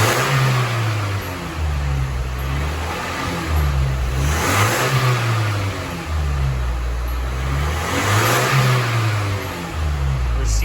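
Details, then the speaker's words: 1985 Nissan 720 freshly rebuilt petrol engine, warm after about 15 minutes, repeated throttle blips climbing cleanly and settling; oil smoke from exhaust considered normal while rings seat. "let's check out the exhaust as i give it a rev here that's oil that's understandable though"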